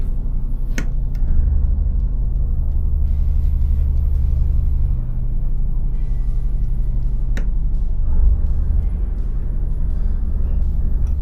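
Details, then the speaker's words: Nordhavn 63 wing diesel engine shifted in and out of gear: steady low rumble changes tone, with sharp clunks as the folding prop opens and closes in forward and reverse; normal running. "So, I could hear the engine uh tone change. I could also hear a slight clunk from the prop as it opened up and forward and reverse. Remember that has a folding prop on it. So, there is a clunk when it opens and closes."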